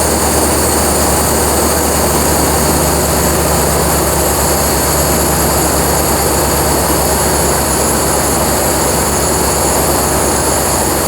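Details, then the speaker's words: Ford 460 V8 carbureted engine in a 4-door Bronco, just converted to MSD Atomic EFI: after purging air from the fuel system, steady even idle sits noticeably high, cause unknown; fuel pressure 41–42. "Sounds like the air is finally purged out. Fuel pressure's coming up. RPM's a bit high, I don't know why."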